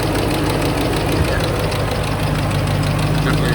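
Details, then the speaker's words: Ford S197 Mustang 3-valve (3V) engine at idle after 40-minute drive home: light quick tick over steady idle, no skipping, one hiccup; owner suspects cam phaser tick but unsure, code not yet read. "pretty sure it's a phaser it doesn't skip at idle or anything it had one little hiccup but I think that might be due to the phaser issue"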